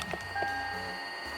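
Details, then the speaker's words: Toyota Tundra (second generation, about 2007–2012), key on, blower fan on low then full blast: thin steady high whine over a quiet cab; worn-out blower motor whine, annoying but not serious, to be replaced behind the glove box. "it's making like this whiny noise rear and then we'll turn it up so that's on the low setting let's go full blast just annoying it's like not the end of the world it's just annoying it's worn out"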